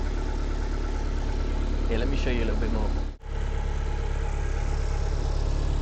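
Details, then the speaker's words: MG TF 115 with Rover K-series 1.6 L petrol engine at idle before an oil change and engine flush: even, steady low hum with no knocks or misses, smooth as a sewing machine. "This is the sound of that beautiful 1.6 L K series engine. Smooth as a sewing machine."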